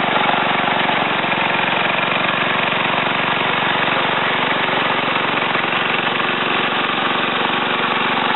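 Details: Ariens TA20A Trans-a-matic rototiller after engine rebuild and plate-clutch repair, carburetor untouched, run in a wooded area: small single-cylinder at steady pace, rapid regular beat, no misses under light load; normal running.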